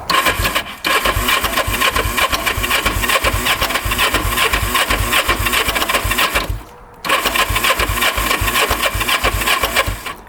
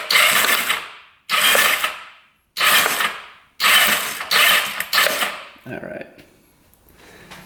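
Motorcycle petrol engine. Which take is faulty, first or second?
first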